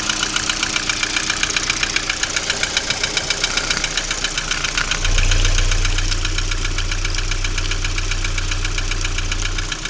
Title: Стук двигателя приоры.